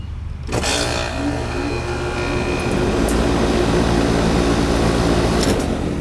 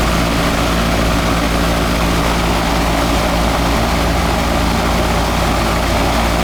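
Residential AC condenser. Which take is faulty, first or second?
second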